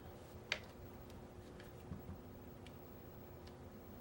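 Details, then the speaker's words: US Army Carver One paintball marker after E-Trigger kit install, powered on green: crisp single clicks, one per trigger pull, as the solenoid fires and releases the bolt. Normal solenoid clicking. "once up light up green you can pull the trigger and hear that clicking noise that's your solenoid firing and that solenoid will then release the bolt"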